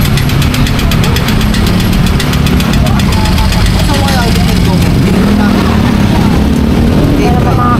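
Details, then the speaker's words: Used motorcycle as it sounded right after being picked up from the seller: loud idle with a fast, steady metallic ticking and knocking; owners think the block and bottom end need replacing, though this is unconfirmed. "Yan yung tunog niya nung pagkatapos namin kuhanin doon sa nabilhan namin."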